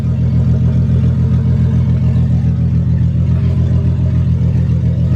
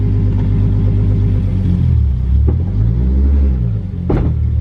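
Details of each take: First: Nissan 240SX S13 with 555 hp 2JZ swap, after differential replacement and driveshaft reinstall, first start after three to four weeks: steady low engine drone, driveshaft spinning smoothly, no clunking on takeoff; driveline healthy. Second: Nissan 240SX S13 with a 555hp 2JZ and a long-used welded differential, shifted from reverse into first. Low idle rumble, then a sharp, loud bang as drive engages. The clunk confirms a damaged differential.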